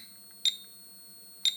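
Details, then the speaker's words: Environmental radiation detector held close to the orange uranium glaze of a 1930s ceramic bowl: short high-pitched chirps about once a second over a quiet room, the alarm for radiation too high; it stops when moved a few centimetres away. "Yeah, and the beeping sound that you hear, that is an alarm because this detector here is intended to monitor environmental radiation. And when it starts beeping, that means that the radiation is too high."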